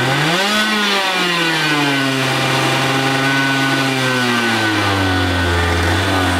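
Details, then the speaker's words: Two-stroke racing go-kart engine, displacement unknown (60, 85 or 100cc), unused for years, running after a starter rebuild and spark and fuel troubleshooting. Crisp buzz climbs and settles through smooth revs that follow the throttle: healthy running. "hey guys so we got it running it sounds amazing"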